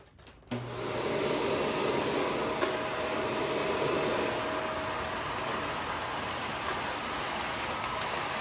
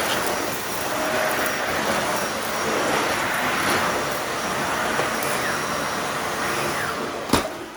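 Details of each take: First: Shark Rotator NV520 vacuum on hard floor, brush roll off, sweeping up spread-out debris with empty bin, clean shroud and tapped-out filters: motor gives a steady, strained high-pitched whine instead of a full air rush; filter found completely clogged. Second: Dyson vacuum with uncleaned filters, brush roll off on hard floor: even, strong rushing motor hum with light debris rattles, no pitch surging; runs normally, all debris reaches the bin via its central cyclone.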